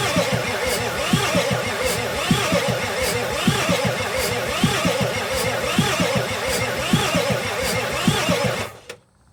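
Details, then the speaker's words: 1986 Ford F350 6.9 diesel, new fuel filter fitted and injector lines cracked to bleed. It cranks slowly and unevenly with a labored groan about once a second, then stops without firing. "all right so I couldn't get it started"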